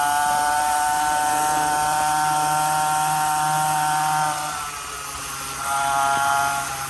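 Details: 49cc two-stroke dirt bike, freshly swapped new engine, being broken in gently: small single buzzes at a steady high-pitched rev, eases off briefly and picks back up, clean and even; normal break-in running.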